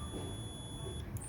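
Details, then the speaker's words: Gooseneck desk lamp rocker switch KCD1-101 (250VAC 6A/125VAC 10A); meter lead on 10A terminal gives steady high beep for about a second then cuts off cleanly: continuity, switch closed and conducting. "And once I flick the switch, now, which I did, nothing. But once I flick the switch back on, get a reading."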